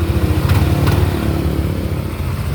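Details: Yamaha NMAX v1 scooter after replacing a damaged rocker arm that caused top-end ticking; camshaft shows only light roller marking and is still usable: steady, even low putter at idle with no ticking; valvetrain quiet and healthy.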